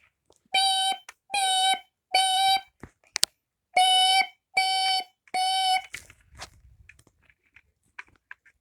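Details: First Alert 9120B ionization smoke alarm, made January 2013, sounds two groups of three loud shrill beeps when its test button is pressed, working as it should.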